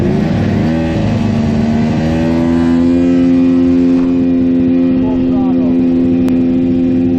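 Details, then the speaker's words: 1998 Polaris XCR 600cc two-stroke snowmobile, warm, about 3,000 rpm with throttle held open: flat droning note that won't climb; engine bogging, cause not yet found. "yeah it's definitely boggy this thing should be flying no engine light or anything coming on"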